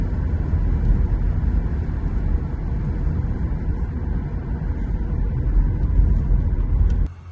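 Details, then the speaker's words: 2007 Honda Odyssey (3rd generation) cabin road test at about 45 mph before fitting an added rubber door seal: constant low roar, heavy rumble with no tones; excessive wind and road noise leaking past the doors. "And so we'll go ahead and listen to what it's like. We'll go up to about 45 miles an hour."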